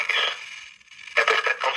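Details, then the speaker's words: Cobra 25 LTD WX CB radio on a weather band, only a wire for antenna, before cleaning: constant crackly hiss with uneven static bursts and no clean audio, from a dirty volume pot needing contact cleaner. "now let's go to two weather bands and you hear how crappy it sounds you hear it like you hear the static"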